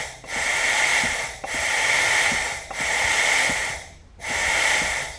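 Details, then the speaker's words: Cummins ISM fan clutch on bench, shop air fed into the air inlet: repeated hissing bursts of escaping air about once a second, no back pressure building; fan clutch still leaking air after attempted fix. "yeah i don't know whether you can hear but it's still leaking so that didn't work"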